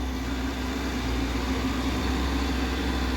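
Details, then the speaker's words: Hyundai excavator with factory reversing fan and cooling package: steady low diesel rumble under an even rushing fan roar as the fan cycles, no knocks or rattles; normal reversing cooling fan operation. "I asked Mikey about it and he said, yeah, it's reversing fan. You can hear it cycling now. That's pretty daggone sweet."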